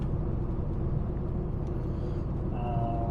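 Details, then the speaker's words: 1972 Rover 3500 P6 V8 with a BorgWarner automatic, after replacing a badly blocked filter, driving home from the test: steady low road rumble with no whine, shifting much better and feeling fixed. Normal transmission operation. "And I don't want to call it yet, but this is feeling very fixed, just because it's shifting so much better."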